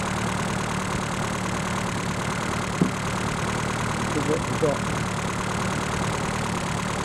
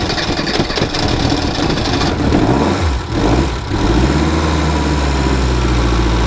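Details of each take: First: Reliant Robin just fitted with a more powerful alternator, now charging at 14 to 14.8 volts: a low, steady idle hum with an even beat and no knocks or misses; normal idle. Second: Reliant Robin started in cold weather before replacing its alternator, which fails to charge with lights and heater on. Cranking gives way to a loud, uneven idle as the low battery current starves the ignition, steadying as the charge builds.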